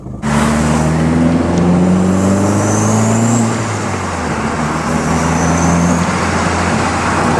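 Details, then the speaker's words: Big-turbo Jetta back running after long storage, under acceleration: engine drone climbs with throttle and a faint rising turbo whistle up high; normal healthy turbo spool. "best part about owning this car is that right there freaking all the right noises this thing is like stereotypical turbo everything you think of Turbo it's this"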